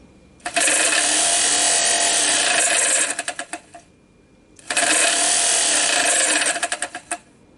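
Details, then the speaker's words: 1989 Oldsmobile Delta 88 blower motor bench-powered by remote starter, two bursts of harsh gritty rasping that sputter out as it stops; bearings worn out, motor replaced. "as you guys heard in the video and saw right now it seems like the bearings went out on this"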